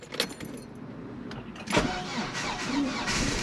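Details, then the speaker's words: Chevrolet Blazer started after sitting well over a week on an older battery desulfated with a Noco Genius 5; keys jingle, short crank catches quickly and settles into steady run; battery held charge, owner suspects a possible slow power drain. "wow okay so surprisingly the battery that's even older and has sat for even longer without running actually maintained the charge"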